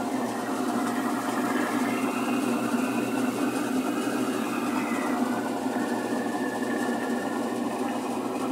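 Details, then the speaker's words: Admiral heavy-duty washer, about 20–22 kg, spin cycle: even motor hum and pump whir but no spin-up or tub rush; pump and motor fine, basket not spinning, springs suspected, not confirmed. "solamente que a nivel del exprimido no nos hace girar la transmisión pero por lo menos aquí a descartamos que hay algún problema en alguna de las colegas todas están mirando"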